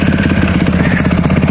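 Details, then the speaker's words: Yamaha YZ450 dirt bike after carb rebuild with new mid-body gaskets: lumpy, uneven low-speed firing that clears above a certain rpm; owner suspects pilot jet issue from overly rich jetting, may also check valve clearances. "So like I was saying, especially I realized it on my ride to this spot, that sputter goes away once I'm above a certain RPM. So it's definitely a pilot jet issue."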